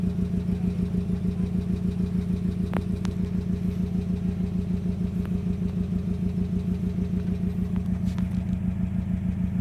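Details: 2005 Subaru WRX EJ20 idling, code P0340 and cylinder 3 misfire despite new coil, spark plug and front O2 sensor, timing belt and MAF checked, compression good: steady idle stumbling evenly about three times a second; single-cylinder misfire.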